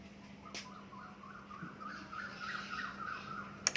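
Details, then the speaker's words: Toshiba AW-DC1700 16 kg washing machine that would not power on, after replacing a component and plugging it in: short rising electronic chime over steady low mains hum, then crisp clicks; powers up normally. "ตอนนี้ผมเปลี่ยนตรงนี้แล้วเอาไปลองเสียบดูปรากฏว่าเครื่องติดแล้วนะ"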